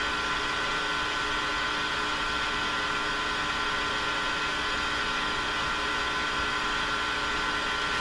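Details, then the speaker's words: Japanese 1970 Strauss solid-state AM/FM tabletop radio on the FM band: only a steady hiss with faint fixed tones, no stations or audio; FM dead, owner thinks a dirty switch is a long shot. "nothing nothing less away well I think that's the challenge right there absolutely nothing out of the f-m"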